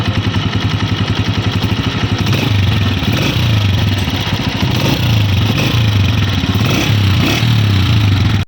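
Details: New 2026 Honda CG 125 motorcycle, bought in with an engine noise complaint: even single-cylinder beat staying steady as revs rise, no tappet tick; normal healthy running.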